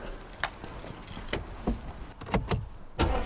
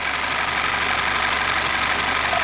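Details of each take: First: Audi A4 2 litre TFSI first start after timing chain replacement, not yet at operating temperature: starter cranks briefly, then the engine catches and settles to a steady, even idle with no ticking or rattle, normal start and idle. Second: Audi A4 at idle, chain replaced 40,000 miles earlier yet really stretched, cam magnet connector test making no difference: busy, thin metallic rattle over a weak engine note, steady throughout, timing chain rattle; chain replacement needed.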